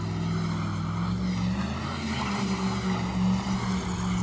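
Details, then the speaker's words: Loud, heavy V8 drone in a shop truck under hard burnouts and donuts, wavering unevenly and sounding rough; engine running rough, previously overheating a little, cause not confirmed. "oh the engine does not sound good oh it does not sound good"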